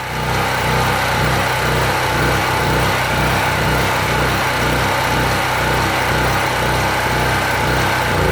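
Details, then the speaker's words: PowerSmart PS44 3000W generator, fuel 3 to 4 years old, on choke: loud buzzy single-cylinder drone with an uneven hunting beat about two pulses a second; wants to stall when choke opened. Owner suspects poor fuel delivery or weak fuel. "It's running, it's jogging. When I put the choke to run, it wants to stall."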